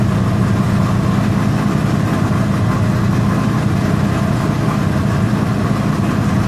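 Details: LQ4 V8 with LSR cam and FAST 102mm intake, warm: steady, fast, slightly lumpy idle sitting a bit high, no misses or knocks.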